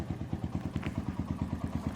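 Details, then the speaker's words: Honda GL Max single after repair of slack cam chain that had jumped about two teeth, timing reset: even thumping about seven beats a second at idle, no clatter between strokes; now smooth, no longer rough, oil circulating. "Setelah ini kita coba dan ini pun dia sudah baik dan bagus untuk suaranya sudah sedikit halus sudah enak. tidak kasar seperti tadi lagi."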